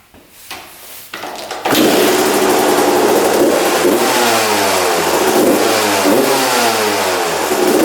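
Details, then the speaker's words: 1993/94 Suzuki RM125 two-stroke after carb returned to stock (55 pilot jet, air screw 1.5 turns out): catches after a few cranks, then crisp even rev blips with no stumbling, and idles; normal running. "yeah all right idles and everything"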